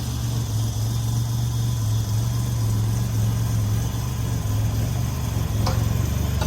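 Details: First start of the 1984 Grand National after the engine rebuild (rebuilt 140 block, fresh cam), coolant just filled: deep, steady idle with an even low rumble, no knocks or misses; engine running smooth and healthy.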